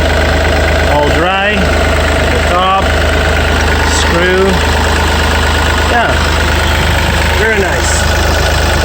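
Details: Yanmar 3TNV88 three-cylinder diesel in a Yanmar C30R, idling after primary fuel filter water separator replacement and air purge, checked with no fuel leaks: steady low drone, even and unbroken, no knocks or misses; normal idle.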